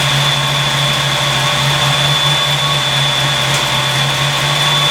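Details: 1986 Mustang GT with newly installed Flex-a-lite Xtreme 185 electric fan, kicked on at warm idle; steady even whoosh, constant tone, no rattle or wobble; fan running normally.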